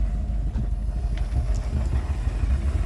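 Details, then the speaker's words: Rolls-Royce Silver Shadow II, revived after years in a field, after spark plug replacement: low, soft steady rumble with no stumbling. Idling normally on its own; a belt issue remains. "And if you can hear, there is some engine sound. She's running."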